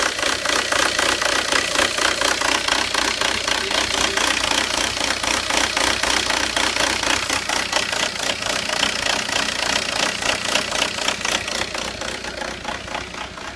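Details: 2002 VW Jetta TDI diesel with code 17970 quantity injection N146 upper limit reached: uneven clattering idle with stumbling knocks about three to four per second; rough idle, cause unknown.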